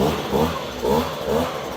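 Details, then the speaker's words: Echo PB-250 two-stroke leaf blower with new replacement carburetor, fully warmed up: buzzy note rising and falling smoothly as the throttle is blipped, revving clean and not boggy at the top; normal running. "once it warms up fully, it's going to sound like this. It should rev up nice and clean like that. You know, it shouldn't be boggy at the top."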